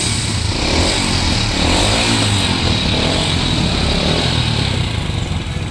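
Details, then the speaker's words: 2006 Honda Supra Fit single-cylinder motorcycle under restoration, just started after a week unused: light, quick ticking over its patter, roughly three or four a second; loose valve clearance suspected, not confirmed. "dari suaranya kenapa nih Bang apa gelitik jadi kayak kulit kendor guys"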